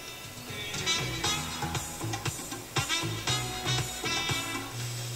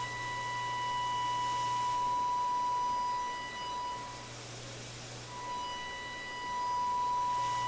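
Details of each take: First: Electrohome Kalmar console stereo receiver after FM IF and discriminator alignment, on outside antenna: clear, full music with steady bass and crisp highs, no hiss, crackle or fading; clean FM reception. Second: Electrohome Kalmar console stereo receiver during FM IF alignment, fed an audio test signal: a steady pure tone with a buzzy edge drops out and returns; owner suspects the signal is overdriving the radio.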